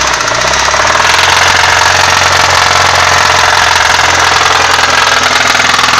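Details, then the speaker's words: Nissan SR20DE engine idling with a fast, even ticking knock over the engine note; cover removed, camshafts and caps in place, no visible cracks; top-end knock, cause unknown. "Собственно, не пойму я, что это за шум."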